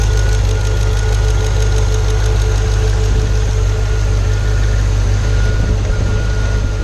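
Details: Pontiac G8 GT, L76 V8 at idle: heavy low drone with faint steady tapping; AFM/DOD lifter failure tick, second failure at about 66,000 miles after first at 44,000.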